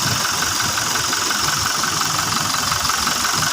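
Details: Toyota Fortuner diesel after repair of a loud noise at the front of the engine bay (bearing and brushes replaced): steady, even idle with ordinary injector clatter and no whine or rattle from the front; the noise is gone.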